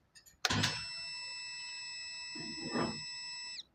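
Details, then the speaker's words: Hero BS6 bike with no-start fault: after repairing a cut fuel pump wire and plugging the pump socket back in, key-on gives a click then a steady high electric hum for about three seconds that stops cleanly; pump now primes normally, previously did not. "இப்போ பைக்கில் நம்ம அந்த சாக்கெட்டை fuel பம்போட சாக்கெட்டை சொருவிட்டு சாவி on பண்ணலாம். Pump ஓடுற sound கேட்குது."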